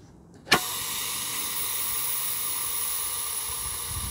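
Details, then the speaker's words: Ronseal Precision Finish Fence Sprayer switched to the first (accuracy) setting, microphone held next to it: a sudden sharp release, then a steady high hiss. The pressure relief valve is venting because this setting needs less pressure. "can hear that releasing pressure. So what that means is it actually needs less pressure in the first setting, which is the accuracy setting."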